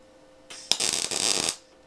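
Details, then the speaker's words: MIG welding on car body sheet metal left deliberately poorly prepared: a short burst of harsh, irregular arc crackle as the unstable arc burns through the sheet. "Tu vois déjà, ça perce. T'entends, cette espèce de crépitement, il est pas bon."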